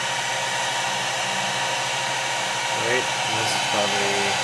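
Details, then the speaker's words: Discharger's cooling fans start up as the load ramps toward about 5 amps through a 6-pin PCIe connector during a DIY PCIe meter test. An even fan hiss builds with steady, smooth pitch: cooling fan spin-up under load. "Starting to ramp up. You hear the fans kick on in my discharger over here."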